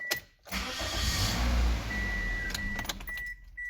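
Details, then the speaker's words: 2008 Toyota Corolla with a no-start despite fuel and spark, cranking demonstration: brisk, even starter whirr at about three to four turns per second, no dragging or clicking; normal cranking speed, slower would mean weak battery or engine resistance. "you hear it it nearly does like three to four turns within a second and it's gonna start or whatever when it starts"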